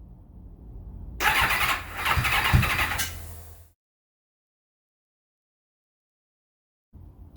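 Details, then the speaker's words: 1991 Kawasaki ZXR750 turbo build with Motec logger, first starting attempt: starter spins about two and a half seconds with even churn, never catches; owner suspects past crank-trigger signal interference from coil igniters, unconfirmed. "hmm not sure what's going on here hmm not sure I'm gonna figure out what's going on I did have a lot of issues early on with this bike having a bad signal from the crank trigger and it had a lot of interference basically from the coil igniters"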